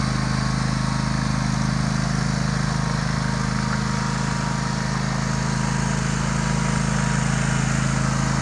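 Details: Warm Sears Craftsman DGS 6000 garden tractor rider mower (54-inch deck, snow plow blade), no choke needed: steady, even idle with deep low drone, no misses, knocks or rattles.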